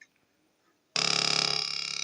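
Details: Two-transistor (BJT) positive-feedback oscillator for a burglar alarm, with a 1 µF capacitor and a speaker in place of the LED. After a second of silence a steady buzzy tone starts, pulsing quickly at a fixed low rate; working as built.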